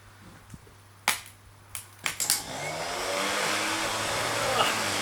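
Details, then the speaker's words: Old Land Rover Series starter motor, off the vehicle and bench-tested unloaded: a few clicks, then a quick rising whir settling into a clean steady spin; normal starter free spin. "it does spin up quite nicely"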